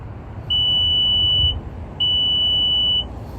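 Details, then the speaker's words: Nissan automatic power liftgate (2023 Pathfinder/Rogue/Murano): liftgate held at the desired height, button held, two long steady high-pitched beeps, each about a second, confirm the opening height is stored; it will then open only to that height. "so basically you bring the lift gate to the height that you want it and you go right here and hold this button and you will hear a couple of beeps"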